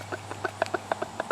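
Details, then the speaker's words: Removed water pump from a mid-80s International Harvester 244 tractor (engine believed Mitsubishi-built) that overheated after 15–20 min cutting tall grass; impeller spins fine but the shaft rocked by hand gives quick light clunks about eight a second: worn pump bearing play. "it seems to be spinning fine however there is play and I don't know if you can hear that"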